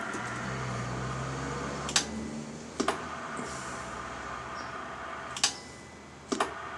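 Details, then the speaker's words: Midland Alan K1313 single-tube CB amplifier, warmed up during a dead-key test after purchase: over a faint hum, four sharp clicks in two close pairs a few seconds apart; possibly the relay clicking, unconfirmed. "Oh, was that the relay clicking?"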